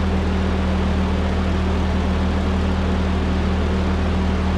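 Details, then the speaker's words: 1946 Ford 2N tractor flathead four after head gasket replacement: smooth steady low idle with even beat, small speed change near end; running cleanly, purring. "looks like it was just steam blowing off the cylinder heads which you know all that antifreeze a rust packed in there it's been purring like a kitten for a little while"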